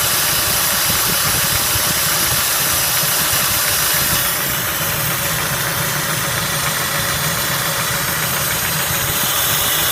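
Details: Spectra engine at a rough idle: a loose tapping runs under a hissy, rattly engine note. It is an idle knock of unclear origin.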